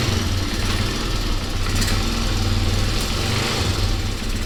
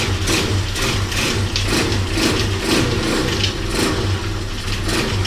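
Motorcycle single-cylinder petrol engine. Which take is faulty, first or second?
second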